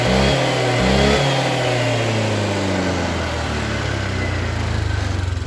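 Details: Honda Vario 150 injected scooter that stalled on throttle after morning starts, fuel pump pressure around 40, after fuel pump filter work: clean rev falling back to steady, even idle without stumble or cutting out; running fine.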